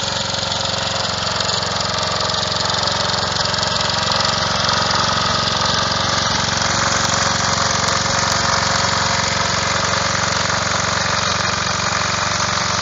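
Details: Revived old Snapper riding mower, 12.5 hp Briggs & Stratton, after years sitting: steady, even engine note at constant speed, no misses, knocks or surging; running smoothly.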